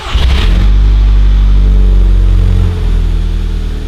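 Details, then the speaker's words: 2011 VW GTI Mk6 after fuel pump replacement and siphoning bad gas that caused severe misfire and check engine light: fires right up into a smooth even idle, no stumbles; engine running cleanly. "Ooh, that sounds good. That sounds way better."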